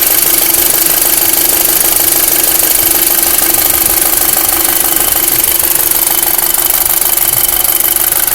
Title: VW 2005 MK5 GTI 2,0 TFSI strange engine noises (zgomot ciudat la motor)